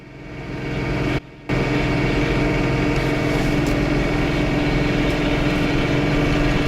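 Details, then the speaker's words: John Deere 3 Series tractor running a snowblower (u-joints greased, auger bearings replaced); steady drone with loose, uneven rattle about three or four a second; owner suspects a blower bearing, mount pins, or worn slack drive chain and sprockets, unconfirmed. "please comment if you think you know where that that rattling or that noise is coming from i don't know if the drive for the the impeller and the auger are chain driven that could be that the the the gears on the chain the sprockets and the chain wearing and some slack and they're rattling"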